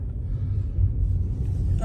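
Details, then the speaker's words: Tesla Model 3 test drive on rough road after refitting windshield-side front speaker cover clips: only steady road rumble, no tapping or clicking from the dash speaker over bumps; rattle fixed. "right over here I'm going to make a the road is kind of rough you can see I have no more sound no more clicky sound or tapping sound on my speaker"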